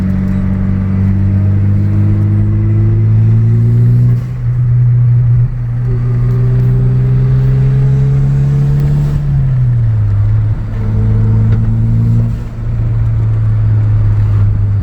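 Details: Transfer case whine: a loud, droning whine rises in pitch as the 4x4 gathers speed and drops briefly between gears; the cause is suspected, not confirmed.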